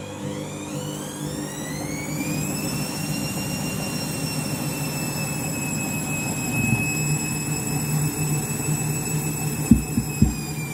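Drum roars up with a rising whine that levels off high, steady rumble under it, plus a couple of knocks; a very loud spin, cause unclear.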